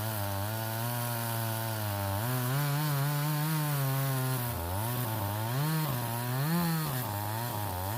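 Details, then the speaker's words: Stihl 026 chainsaw, owner reports pop or miss at high revs when hot or pushed hard: runs high but pitch repeatedly sags and stumbles under cutting load, missing; suspected ignition wire grounding out, later coil and wire replaced. "Okay, I don't know if you guys heard that, but that last little bit when I pulled up on it, you could hear it missing. So I'm guessing there's a wire somewhere maybe grounding out."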